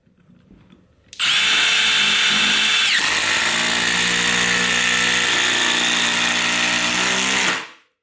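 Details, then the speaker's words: Impact driver sinking a screw, compared with a drill driver on the same screw: fast, even high-pitched hammering rattle for about six seconds, no stalling or bogging; normal impact driver operation. "you want something that's going to drive this so much easier and that's where the impact driver is second to none"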